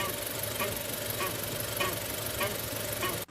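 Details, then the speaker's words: 10th-gen Honda Civic, phone held under the chassis: rhythmic creaking chirp about every 0.6 s when steering or pressing the suspension; intermittent noise traced to a worn lower control arm ball joint with torn boot, running dry; replacement fixed it. "个异响的故障点就是下摆臂的球头磨损严重。在车上的时候呢，看不到这个球头有明显损坏的痕迹，但是拆下来我们看到这个皮板已经碎掉了，里边已经是干磨的状态。"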